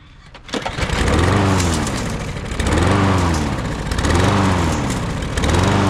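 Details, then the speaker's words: Husqvarna with a no-start caused by old gas, fixed with a new carburetor and air filter; starts on the pull and runs with a steady buzz, speed rising and easing about every second and a half; normal running after repair. "Just like that. $30. We back running. See how simple that is, people?"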